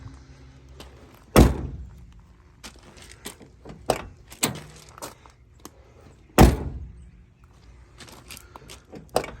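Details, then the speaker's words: Mazda Miata after installing Flyin' Miata door bushings: a few sharp solid low thunks as the door shuts, no rattle or tinny clang; closes noticeably more solid than before. "I don't know if you can hear the difference, but I can definitely. It sounds a lot more solid."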